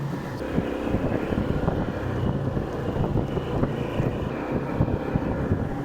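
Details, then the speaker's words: Honda PCX150 scooter after gearbox overhaul with the failed bearing replaced: an even engine drone under wind rush, and the former crackling from the drive is gone. "So as you can hear, the crackling sound is gone."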